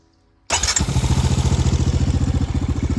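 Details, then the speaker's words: Powersports machine on a new KemiMoto lithium battery, starter motor after engine started and ran: fast, strong high-pitched spin with quick, even compression pulses, no dragging, starts immediately on a tap of the button; healthy starter cranking. "That high pitch noise like the like even if I see how it's like high pitch. It's not like like it's like like immediately starts it."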